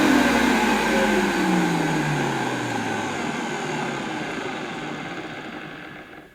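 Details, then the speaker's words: Refurbished late-80s Electrolux 614 upright vacuum with a cleaned and greased motor, original carbon brushes and the suppressor removed: winds down from a steady whine with a faint rough grumble under the hum; a slightly grumbly motor. "It's still a little bit grumbly, but you know, there's not much more I can do with this."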